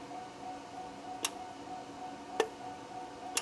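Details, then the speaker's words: GMC/Chevy 6.0L truck with code P0449: the EVAP vent solenoid, fed power by a jumper wire and commanded with a probing tool, gives sharp single clicks about once a second over a faint hum. It works, so missing power is suspected, possibly a blown fuse. "if I connect it to this bug probing tool now I'm going to turn on the vent solenoid you hear that"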